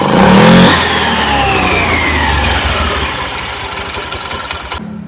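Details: Honda Vario 110 eSP scooter after the CVT was rebuilt for severe judder (clutch linings were worn away): starts, revs and settles to idle smoothly, no judder.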